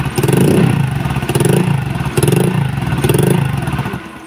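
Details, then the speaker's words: Honda Vario 125 old (KZR) that stalls often, especially when hot, flashing MIL code 52 (CKP sensor): runs rough in uneven surges, sputtering and fading to a stall; crankshaft position sensor or its wiring suspected failed. "Nah, ini berbat-berbat langsung mati lagi, muncul lagi kedipannya."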